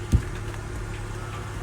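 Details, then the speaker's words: Vauxhall Corsa petrol bought at auction, first start: smooth, even low idle with a steady hum and no knocks or misses; engine sounds healthy. "sounds good which is absolutely great engine sounds good let's just hope if it drives good as well"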